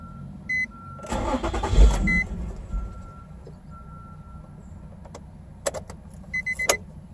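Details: 2006 Nissan 350Z, very hard start: starter cranks in bursts with chime beeps between tries, engine not catching cleanly; cause unknown.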